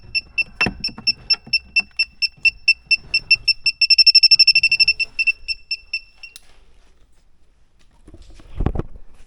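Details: A/C refrigerant sniffer, after compressor, condenser and line connections were checked: beeps speed to a rapid, nearly continuous chirp at the probe spot. Positive leak reading, suspected around the evaporator or expansion valve.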